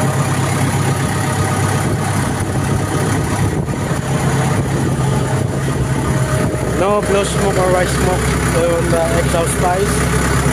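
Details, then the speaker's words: Diesel engine idling after the fuel pump coil was checked on an engine with stalling and blue smoke: steady, even low beat, no hunting or misses, stable RPM; running smoothly. "the engine is a RPM is stable and pump is also b"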